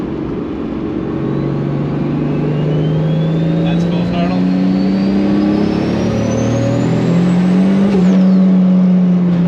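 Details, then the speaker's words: Toyota Supra with Bosch Motorsport 2000cc injectors, suspected dirty after debris from an unflushed replacement fuel line; full-throttle pull in second gear, note climbs unevenly and hangs, still hesitant building boost; owner will check logs for lean condition, cause unconfirmed. "To try and do it, but it is still hesitant on building boost, so I'll have to have a look at the logs and see if there's anything up, if it's going lean or cleanish."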